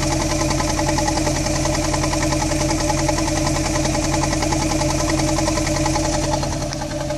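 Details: 2001 Mk5 Ford Fiesta 1.25 Zetec: uneven, lumpy idle with heavy irregular beat, about two to three stumbles a second; rough running from no compression in cylinder 2 and very little compression in the others.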